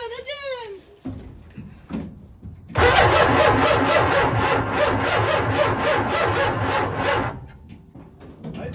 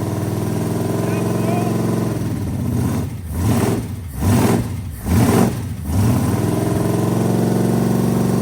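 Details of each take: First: 1967 Dodge A100 with a 440 in the bed, abandoned, ignition via ballast resistor: slow, uneven, labored cranking for several seconds without catching; battery dropped to about 8 V while cranking, low battery voltage. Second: 440 V8 mounted in the bed of a 1967 Dodge A100 wheelstander, after earlier no-oil-pressure and smoke checks: lumpy idle, then four quick clean throttle blips with no stumble or miss, all eight cylinders firing properly.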